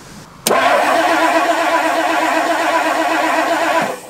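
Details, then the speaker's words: 1958 Edsel that randomly stops running, cranked after fuel-line adapting: steady, even starter churn for about three seconds with no firing; cranks, no start, no fuel delivered. "it just doesn't seem like much it seems like before like you're still getting some yeah just seems the same"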